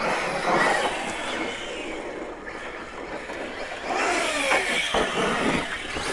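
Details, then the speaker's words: Arrma Kraton 6S RC car after shimming the rear differential spider gears: the drivetrain whirs, surging with throttle, with even gear whine. The earlier clicking under load is gone; it is running normally. "But the clicking noise is gone. Awesome. This thing is the beast. Well guys, it seems to be running pretty good."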